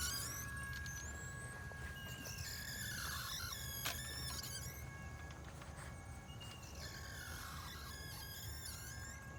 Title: New Champion Wheelie bird 2.0 clay thrower wobbler problems making noise, jerking loose upper rack.